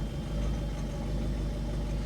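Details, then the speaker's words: Ford Fiesta Mk6.5 1.6 TDCi (1.6 HDi) idling after glow plug replacement: a steady, even diesel idle with a low, smooth beat and no misfire or stumble, with a little smoke; a much better idle than before the repair. "Oh, that's a much better idle."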